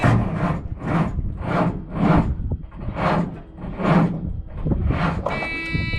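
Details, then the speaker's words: Truck suspected of needing an alternator, battery not charging: slow laboured cranking about one turn a second that never catches, then a buzz; not enough battery charge to start, so a charger was used. "As my point and tails, not enough juice to start it. It hasn't been charging, so we had to pull the charger out here and do it that way, which is not a big deal when we're right here from the shop."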